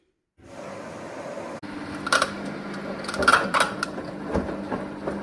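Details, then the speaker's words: Samsung washing machine running with uneven knocks and creaks from the drum, sound coming from the drum shaft/spider area; after repair knocking gone. "на ремонте стиральная машина Samsung с характерным звуком получается у неё издаётся лишний звуки как будто стучить что-то вот можно послушать"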